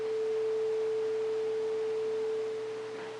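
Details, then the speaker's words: Integra (Onkyo-made) DTR-50.x receiver repaired for no sound, heat-stressed with capacitor above heat sink: clean steady single-pitch test tone without crackle or dropouts before fading; sound now restored, normal audio output. "we have sound so that's a good thing that's a start"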